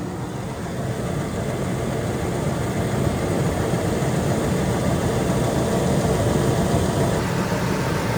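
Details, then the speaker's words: Ford F150 idling after a water pump replacement and coolant refill: steady, even low rumble that rises gently, with no knocks, ticks or squeals; no leaks seen. "All right, so she's running. Doesn't look like there's any leaks anywhere."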